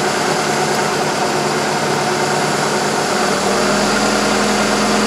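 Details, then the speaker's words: 2000 Ford Focus with a stumble under light throttle at highway speed and no codes, at idle in a cylinder balance test as each injector lead is pulled: the note roughens, so every cylinder is working. Induced misfire. "You can definitely hear the difference here. Alright, so they're all working. You can see the difference when I pull that ejector lead off of each cylinder."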